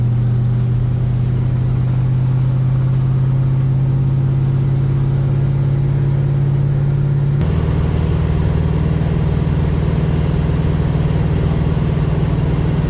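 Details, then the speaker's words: Big-block Ford V8 with 750 CFM Brawler carburetor, fully warmed up after trailer hauling, cruising through town in third gear: smooth even rumble with one clean drop in pitch, no misses; runs great. "Fully warmed up. This thing runs great. This is just cruising through town in third gear."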